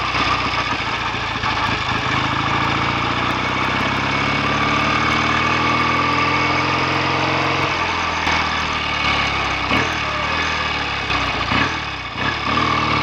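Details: BSA A65 twin after ~6-mile test ride, clutch springs preload increased and carbs and plugs drained and cleaned for misfire; settles to even idle, picks up cleanly on throttle blip, drops back steady, clean exhaust; normal idle.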